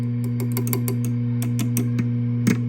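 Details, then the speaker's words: VHT Pittbull 45 Class A tube amp, chassis tapped while powered: steady mains hum with sharp pings through the speaker; preamp tubes microphonic and loud. "all very loud."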